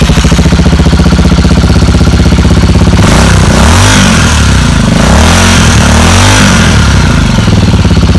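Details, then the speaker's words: Motorcycle with a bad battery, started using a small jump starter (second attempt): steady fast cranking chatter, then engine catches and revs unevenly with some hesitation; hard starting from weak battery. "There's some hesitation, probably because the battery is really bad."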